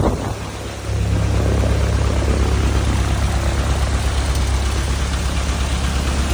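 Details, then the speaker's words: Thorp T-18 homebuilt airplane engine, unrun about six months, fresh fuel and new starter: catches and settles into a strong, steady low drone with prop turning and heavy wind; running normally. "Oh yeah. Woo! She runs, boys."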